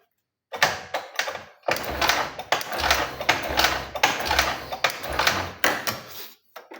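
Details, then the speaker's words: Honda Genio scooter with ignition loss (coil, stator or ECM suspected), kick-started repeatedly with a jumper from battery positive to the light-green wire: heavy kick strokes about once a second, turns over but never fires, no current at all. "Nah ini mati, nggak ada arus sama sekali ya. Kita start lagi, kita engkol."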